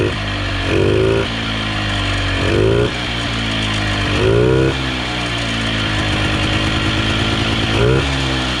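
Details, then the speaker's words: 1980s Polaris 250cc two-stroke ATV revived after years sitting, with the ruptured fuel line replaced and started on choke: crisp revving in quick blips that rise and drop back to a steady idle with clean response; runs well. "Yeah, she runs good, boys. real good."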